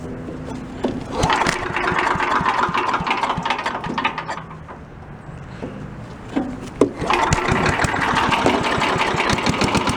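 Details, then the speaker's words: Troy-Bilt chipper vac small engine, warm restart outdoors after carb work (O-ring still awaited): uneven chug, brief dip, then catches quickly and keeps running; normal warm restart, no sign of flooding. "What do you say we go out in the yard, fire it up, and see what it does? See how it starts up after it's warm."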